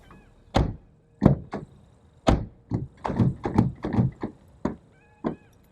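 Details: Ford Focus MK1 door that will not open from outside: lock actuator thunks on unlock, then repeated dull handle pulls and clunks with no latch release; door stays latched before door card removal; latch not releasing.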